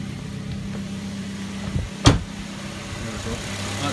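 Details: 2009 Suzuki SX4 2.0 L with A/C after replacing the serpentine belt tensioner pulley and belt; steady, even idle hum with no chirp, squeal or rattle from the belt area: normal idle.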